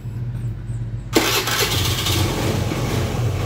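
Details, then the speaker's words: Honda Beat scooter with weak used fuel pump (spec 263-361 kPa): starts then runs rough and stumbling at initial throttle, idle won't hold and dies, stumble clears at higher throttle; low fuel pump pressure. "Nah ini berebet-bet kayak gini teman-teman jadi merebetnya itu dia di posisi awal ya teman-teman Nah stasionernya mau kadang-kadang cuman gak bisa bertahan lama dia nanti akan akan langsung mati"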